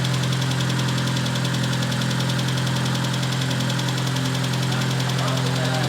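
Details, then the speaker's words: Proton Satria at idle after lifters removed and cleaned: quick even ticking about three to four per second from top end; hydraulic lifter tick until oil pressure refills them. "now she's also very Ticky at the moment because remember I pulled out the lifters and what's it called um and clean them out completely so the oil pressure needs to build that back up on them once that happens it should be good again"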